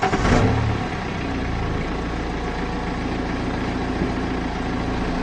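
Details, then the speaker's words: BMW 5 Series firing up and idling after replacing worn exhaust mounts: brief rev then smooth, steady idle; exhaust now still with only slight vibration, versus heavy rear exhaust vibration reaching the cabin before. "well one thing i have noticed straight away the exhaust is honestly so still i mean there is obviously the slight vibration but that is tons better than it was before"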